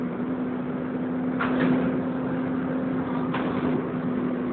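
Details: Wright Renown bus in service, recorded onboard: diesel rumble with a steady high screech near 250 Hz throughout, like a tyre burnout, coming from the cooling fan area.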